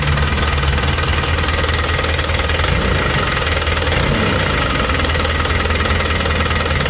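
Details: Hino Dutro truck diesel at idle with low power despite fuel pump plunger already set to maximum: loud clatter with an uneven, lumpy, labouring beat; rough running, cause not yet found.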